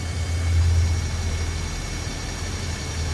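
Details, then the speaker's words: 2013 Nissan Frontier 4.0L at idle: faint steady high-pitched whine over a low even idle, from the transmission pump running with a dry dipstick; truck drives and shifts fine; noise appears once warmed up. "nothing at all it's dry the truck drives fine shifts fine but uh that's where your noise coming from"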